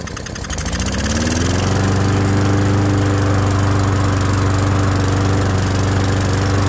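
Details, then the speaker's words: Old Murray mower that wouldn't run and made a terrible sound, restarted after carburetor flooded from being on its side; steady slightly slow chug, idle a tiny bit low but carburetor running okay. "well as you can hear the idle is just a tiny bit low uh but the carburetor seems to be running okay honestly"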